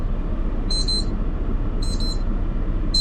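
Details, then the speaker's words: HOVER Air X1 Pro Max drone flying in freezing cold: high double beeps about once a second over steady rotor hum and wind, with voice alert "Low battery, please return immediately" as the drone starts dropping; low battery warning. "Low battery. >> Oh, >> please return immediately."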